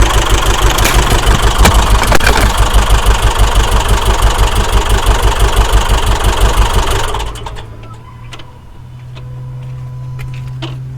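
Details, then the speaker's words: Subaru Outback EJ engine after timing belt failure (DNJ parts, collapsed tensioner), run on used belt and WRX tensioner: lumpy uneven beat about three pulses a second, never settles, falters and dies; bent intake valves, both heads likely damaged. "As you can see, we've got a bad engine. Definitely had some intake valves hit, and it's running so poor, I would expect both heads have been damaged."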